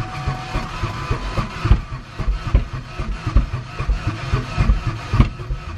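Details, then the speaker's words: Ford Ranger, likely mud-bogged and possibly hydrolocked, with no coolant in the radiator or overflow. On a fresh battery and starting fluid it gives ragged, uneven chuffing and thumps, stumbling badly and sounding very odd. Poor compression or a dead engine is suspected. "it uh it sounds very odd sounds like a uh like a machine off of Dr Seuss"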